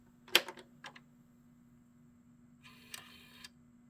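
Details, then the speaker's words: Sega CD Model 1 drive on the bench, tested after checks: a few sharp clicks and a short whirring buzz over a faint hum as the disc mechanism seeks and runs as it should. "well that's what it's supposed to do oh okay yeah that's what it's supposed to do"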